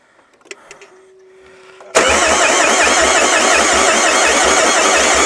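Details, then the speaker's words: Renault Master van, long-parked non-runner, cranked with brake cleaner sprayed in: steady fast cranking at about four beats a second with no catch or firing; owner suspects little or no compression. "I don't I don't think that's got any compression of any sort by the sound"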